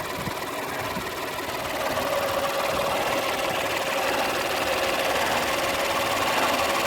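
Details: Peugeot 308 II running engine with an even, fast ticking knock about three per second over the engine note, coming from a defective air-conditioning compressor.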